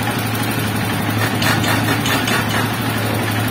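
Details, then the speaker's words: Freshly overhauled Honda TMX 155 at idle: a steady single-cylinder beat with a buzzing rattle of loose panels, about four beats a second, louder when revved. Vibration from the aging bike's casing and body, not the engine. "Yung ingay na yun mga bro, hindi na sa makina nang gagaling. Andito na sa kaha. Dahil medyo may kalumaan na rin motor."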